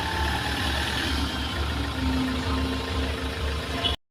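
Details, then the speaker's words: Mahindra XUV500 diesel after replacing the fan belt and pulley adjuster that had been noisy. It settles into a smooth, even idle with no belt squeal or chirp, normal. "ठीक है इसमें कोई आवाज नहीं है"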